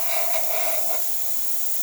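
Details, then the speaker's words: La Pavoni Stradivari espresso machine after full service for not pulling espresso and overheating: even, unbroken steam hiss with no sputter or pulsing; steady, healthy steam pressure. "But it's a nice steady steam coming out of the machine. Excellent pressure."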